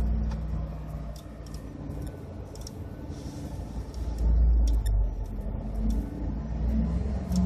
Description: My 2012 Ford F-150 5.0 idling rough due to Ford retarding ignition timing 9* on the cold start map.